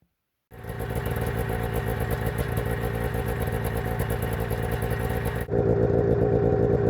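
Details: 1991 Arctic Cat Prowler 440 two-stroke snowmobile after revival: carbs checked, fresh fuel, throttle safety switch bypassed, earlier one-coil miss resolved. Crisp, even note that picks up cleanly on throttle with no stumbling or misses. Flawless after about an hour's riding.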